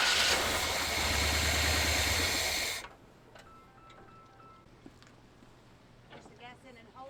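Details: 1978 Chevy C10 after 4–5 gallons of fresh gas were added. The starter churns for nearly three seconds but the engine never fires. Crank no-start.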